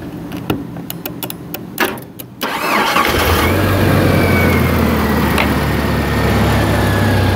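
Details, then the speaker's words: 1997 Jeep Wrangler with a no-crank fault, in park with e-brake on, cranked by powering a circuit pin with a test light: a few sharp clicks, then the starter spins and the engine catches quickly into a steady idle; starter and engine respond fine. "In park, e-brake is on. I'm going to crank it out here with my test light."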